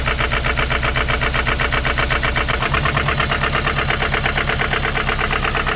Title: mx5 nc 1.8 knocking sound